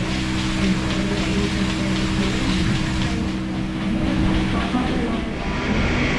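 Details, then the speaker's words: Milking-system vacuum pump after new DeLaval jetters were installed: a steady drone with a low hum and an uneven knock about every half second. The pump is working harder and knocking, which it did not do before; water flow has increased. "So one thing I've noticed is the pump's working a lot harder now. You can hear it knocking. It used to not do that,"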